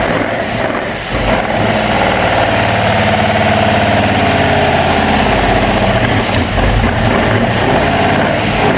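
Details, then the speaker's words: Opel Manta/Ascona hybrid stored about 20 years, carbureted four-cylinder on old plugs, first start: catches and idles unevenly, stumbling and hunting; a rough miss after long storage. "well it runs a little bit Missy but it hasn't been run for 20 years or so"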